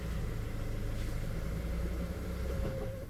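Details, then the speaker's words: Hyundai Tucson with check engine light on, customer complaint of crank but won't start: engine catches and rumbles briefly at low idle, then sags and stalls within seconds. Scan shows sensor reference voltage circuit low and ECM memory error codes. "So ayan napapansin natin na walang ah emosine yung ano niya per may check engine. Then start-start siya yun namamatay."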